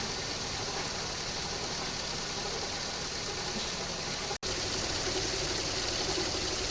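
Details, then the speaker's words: Toyota AE110 after AC system overhaul (refrigerant refilled, new condenser and drier, Denso parts, new hoses and belts): both fans on speed 1, compressor clutch cycling quietly, no knock or rattle; normal. "แอร์สับนะครับเสียงตัดต่อหน้าคอมเงียบปกติพร้อมทำงาน"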